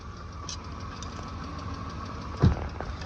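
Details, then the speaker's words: BMW E34 Touring with M50 engine, cold idle after being jump-started: light fast top-end ticking over a steady low hum. "Can hear it ticking away. Don't stall it."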